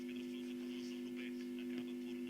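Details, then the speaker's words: Telefunken Jubilate tube radio first power-up on current-limiter bulb at about 224 V, FM band, speaker close: loud steady mains hum over a very faint but clear station; filter capacitors shot and need replacing. "lots of hum [Music] but it's picking up something very very faintly but it's it's actually clear but very faint lots of harm obviously so the filter capacitors need changing"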